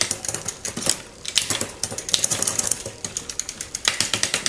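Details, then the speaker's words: Raleigh Detour 2 on the stand after new derailleur hanger, new shifter and new freewheel with a larger largest cog; quick crisp clicks and freewheel ratcheting, clean shifts with no skipping or chain jumping; already improved, drivetrain shifts properly. "See how we go. I mean already improved. No jumping around."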